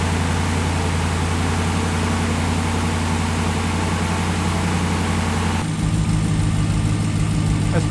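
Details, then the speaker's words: 2017 Ram 1500 Rebel, startup after the exhaust-manifold replacement: the engine settles to idle with a light, quick ticking over the low rumble from a leaking exhaust; later fixed. "But, uh, that last startup in that last clip, it was the exhaust was leaking. It was ticking again."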